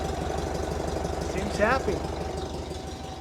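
Steady, even low putter at about four pulses a second with no knocks or misses; the engine idles smoothly and sounds healthy.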